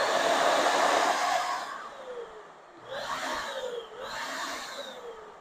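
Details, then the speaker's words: 700W HVLP electric paint sprayer run dry with no paint loaded: strong airy blower rush starts and pulses evenly, no grinding or squeal; described as very powerful, motor running normally. "So I don't have any paint in it right now, but I just wanted to kind of turn the motor on and let you hear it and dry. Very powerful."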